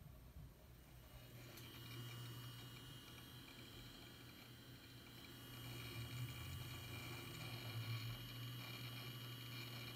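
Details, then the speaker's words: Known-good hard drive in an HP computer, heard at power-on as Windows loads. Steady low hum with a faint high whine and light, soft seeking underneath, even throughout. Normal hard drive sound. "so let me show you turn it on and fill this up it's a normal sound"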